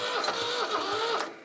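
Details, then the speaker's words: Old Shibaura diesel tractor that sat for years, cranked after heating the glow plugs and adding starter fluid: brief rough cranking with dull thumps about every fifth of a second as it tries to fire. Knock while trying to start, cause unclear; fuel system later bled. "that sounded a lot different. That didn't sound too great either, though. Heard a bit of a knock."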